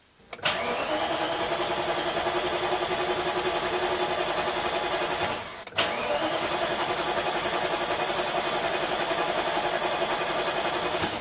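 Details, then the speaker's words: BMW E34 M60/M62 V8 after timing chain tensioner change, fuel pump pulled to build oil pressure before cold start: two long, even bursts of cranking, no firing; normal cranking without start. "I have pulled the fuel pump and I'm going to crank this over for about 10 to 20 seconds let oil pressure build up inside"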